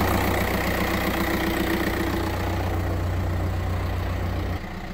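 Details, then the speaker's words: 1.9 diesel, 193,000 km, just started at a pre-purchase inspection: even, steady low diesel clatter at idle, no misses, knocks or rattles; runs smooth and fairly quiet. "так завёл мотор этот 1.9 Ну работает ровно довольно тихо"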